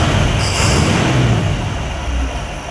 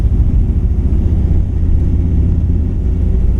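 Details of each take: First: 1959 El Camino V8 that had a steady miss cruising, after swapping in a rebuilt carburetor and Pertronix ignition giving 12 volts to the coil (previously weak spark): deep, steady low rumble, even with no misses or stumbles; runs smoothly. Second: 1959 Chevrolet El Camino 348 V8 with Tri-Power, carb set up for a 283: loping, uneven drone while cruising from a dead cylinder, though it idles well; compression, spark, tune-up parts, valve lash fine; bad lifter or camshaft suspected.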